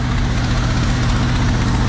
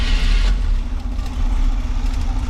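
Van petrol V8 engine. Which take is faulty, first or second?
second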